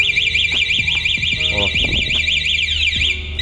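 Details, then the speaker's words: Sousa electric bike with scooter motor, switched on with the key while charging: loud shrill warbling beep sweeping about three times a second as the armed alarm triggers on attempted start or movement; alarm working normally. "Alarme ativou. Quando você tenta ligar ela com o alarme ativado, ela já apita. Quando você tenta movimentar ela também já apita. O alarme está funcionando certinho, então."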